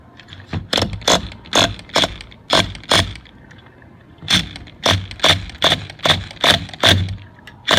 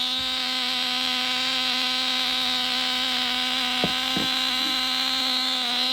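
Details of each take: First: Nitro-engine-swapped Losi Mini-B RC buggy, glow ignition on, start attempt: sharp, irregular clicking bursts about two a second, engine not catching; pull starter slipping, owner suspects one-way bearing problem. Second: Nitro glow engine swapped into a Losi Mini-B RC buggy, mounted on its side, first run after priming and glow igniter, before break-in heat cycles: high steady buzzing whine, even pitch, no misses or sputters; running cleanly.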